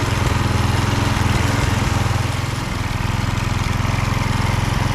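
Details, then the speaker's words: Husqvarna HU 625HWT string trimmer, a non-runner, after an oil change filled to the max mark, run outside while burning oil off the muffler: fast, even putter at a steady idle with no misses or surging; running nice. "Running nice."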